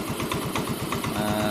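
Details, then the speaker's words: Yamaha Mio M3 125 scooter with an idle fault, compression about 7 bar (120 psi): a harsh, rapid rasp over the idle from a rough, local non-original CVT drive belt; the idle itself now seems normal. "suara pembelnya terlalu kasar itu pembelnya pembel lokal kayaknya bukannya ori makanya agak keras suaranya"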